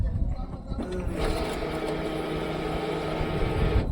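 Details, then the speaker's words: Tata BS6 petrol at key-on after restoring the fuel pump supply connection: a steady electric whir runs evenly for about three seconds, then stops. The fuel pump is priming normally, the test bulb lights, and the car then starts. "Fuel pump से भी आवाज आने लगी है।"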